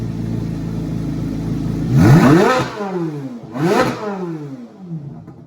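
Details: 2024 Carbon Flash Chevrolet C8 Corvette Z06 V8, reportedly with an MMX Forge stroker and max-effort cam, cold start in a garage: smooth, even fast idle, then two crisp blips that rise and fall cleanly; normal cold start with free revs.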